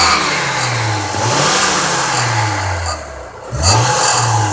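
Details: 2003 Honda Accord 3.0L V6 6-speed manual under hard acceleration: a bell-like metallic ringing rattle, like an old alarm clock. Loudest at the bottom of the engine bay on the passenger side, worst in low gears on engine braking. Heat shields are mostly ruled out; owner suspects belt tensioner or A/C compressor. Source never found.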